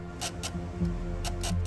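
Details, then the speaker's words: C5 Corvette with battery dead at 8 volts: steady electrical hum with sharp ticks every quarter to half second from the dash, alien-like noises before starting; electrical chatter from low battery. "but as I went to get in the car it began making more alien-like electrical noises"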